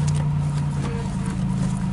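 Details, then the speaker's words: 1989 Oldsmobile 3.8 V6 start after sitting about six months; engine running with a steady low hum and buzz underneath from the power steering pump, power steering pump buzz. "our steering's making its buzz"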